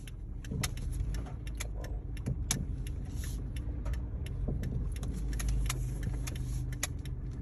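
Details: 2012 Kia Forte driving at 5-15 mph: light irregular clunks and knocks with no steady rhythm; looseness suspected, source not pinned down.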